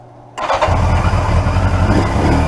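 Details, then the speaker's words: 1981 Yamaha XJ750 Seca four-cylinder at its first start after carburetor cleaning. It catches sharply and settles into a lumpy, spitting idle as debris from a nest blows out of the tailpipes; fuel possibly running low. "watch watch all the stuff coming out of the tailpipes on this thing [Music] there was quite a nest in there"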